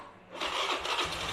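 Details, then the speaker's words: Carbureted Honda Beat scooter with DC ignition fitted with a Kawasaki CDI, restarted after shutting off: brief starter whirr, engine catches at once and settles into a steady idle, starts cleanly. "Nah, langsung sip."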